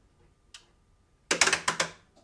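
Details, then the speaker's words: Enphase IQ System Controller 3 backup installation with battery: one sharp click then a quick run of about five crisp clicks, no buzzing, as relays switch to grid connection during commissioning; normal relay clicking. "We'll hear the relays clicking each time we switch to network mode, connecting to the network. We can actually hear the relays clicking each time."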